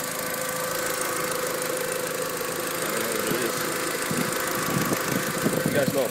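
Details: VW Jetta Mk4 1.8T petrol engine running with steady hum and light, uneven clicking about three times a second; cause unknown, owner unsure.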